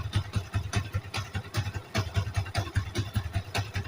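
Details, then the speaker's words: Yamaha Vixion NVL motorcycle idling: loose regular clattering rattle two or three times a second that appears when the clutch lever is pulled; worn clutch parts suspected before opening the clutch cover. "ketika di kopling timbul suara kemrock akan kita eksekusi"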